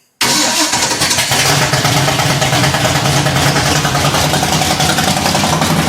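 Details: 1966 Ford Fairlane gasser, 503 cubic inch big block on a Ford 429 D0VE block with headers and a new ignition, started after years of sitting: fires instantly into a loud, even, fast idle with a steady lope and no knocks. Normal start.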